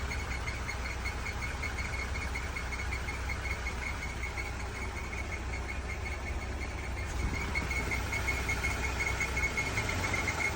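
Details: Jeep idling after its idler pulley was replaced: steady high chirping tone pulsing about three times a second over a low rumble, an abnormal engine noise.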